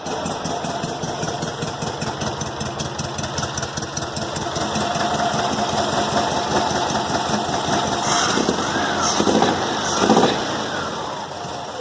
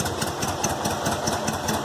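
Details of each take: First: Volkswagen Fusca (Beetle) engine: loud, raspy roar with sharp rapid pulses, as if running without an exhaust; exhaust leak at cylinder head from loose head bolts, found under the valve cover. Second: VW Fusca (Beetle) air-cooled petrol engine idling after tightening loose cylinder head bolts: even steady pulse, the earlier strange exhaust-less roar gone.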